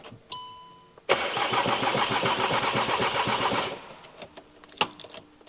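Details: 2017 VW Transporter T5, non-start, timing belt suspected to have skipped teeth, airflow sensor plugged in: starter spins at a steady even beat about 2.5 seconds and never catches; no fault codes, cause not confirmed.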